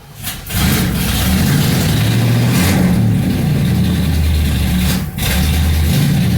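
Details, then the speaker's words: 1977 Mercury Marquis 400M engine after a tune-up: new spark plugs and wires, distributor corrosion cleaned. It catches, settles into an even idle and takes a few blips cleanly, with no misses or knocks, and runs healthy. "Running pretty good. Motor sounds pretty nice. Sounds healthy and everything."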